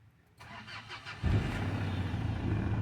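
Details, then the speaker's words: 2011 Mitsubishi Triton Cab 2.5 GLX diesel, 5-speed manual, 230,000 km, timing belt recently replaced: a brief crank, then a steady, even idle clatter with no warning lights; healthy cold start. "ติดไม่มีไฟเครื่องโชว์นะไม่มีไฟลูกเครื่องไม่มีสัญญาณเตือนอะไรโชว์ครับผม"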